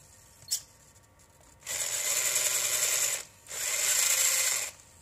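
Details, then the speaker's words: RC4WD Trail Finder 2 with a new Holmes Hobbies Torque Master 540 Sport brushed motor and newly set pinion. Two loud, high buzzing whines from the drivetrain, each about 1.5 seconds. Gear mesh looks right and nothing appears to be hitting; abnormal noise, cause unknown. "like I said the gear mesh looks right so but something doesn't sound right so I have to look at it for that doesn't look like I'm hitting anything"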